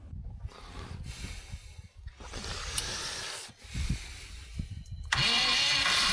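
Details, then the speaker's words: Long-abandoned bus, first start attempt after ignition wiring and main power switch work: several uneven cranking bursts, engine fires briefly and dies immediately; suspected fuel delivery problem, fuel pump not yet switched on. "Okay, it almost started that time, but then it immediately died. Maybe we're dealing with some kind of fuel delivery problem."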